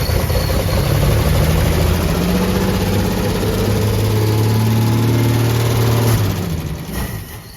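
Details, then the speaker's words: 1964 Plymouth Savoy, one-owner high-mileage car, cold start with the choke not yet hooked up: the engine catches and runs fast and uneven while cold, then the revs drop away. "well if you quit stomping it while it's cold maybe it would stay running"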